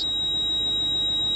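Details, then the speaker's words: Toyota Crown Majesta 170-series (1UZ-FE V8) in the cabin: a shrill, steady high-pitched beep, with ABS, brake and VSC/TRAC warning lights on; ABS warning buzzer from low ABS accumulator pressure. "the noise is the beeping so I'm dealing with a beep for the ABS the whole time but I haven't turned it of"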